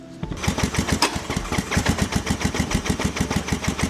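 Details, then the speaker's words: Rough, lumpy low-speed chugging at about seven uneven pops a second from a 220cc engine swapped into a turbo mini jeep; the engine oil system feeds too much oil, which gets into the exhaust and makes it run rough. "So the oil gets in the exhaust and it just makes it run like shit."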